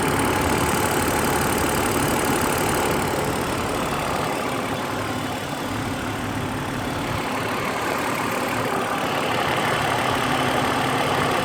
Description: My engine sounds like a diesel... Normal? I've read a lot that these engines are somewhat noisy but this is pretty noticable